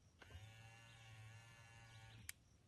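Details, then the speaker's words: 1995 Lexus SC300 right mirror vertical motor powered directly at ECU connector pin A2 during circuit test: steady even hum about two seconds ending in a click; motor works normally. "I hear the motor now I'm going to flip"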